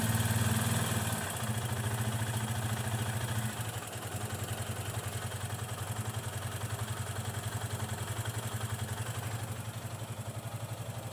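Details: Yamaha FZ 25 single-cylinder motorcycle idling with a light metallic coin-rattle ticking over the thump; the owner suspected valve clearance, but the valves were already adjusted by a service tech and the ticking persists, so the cause is unknown.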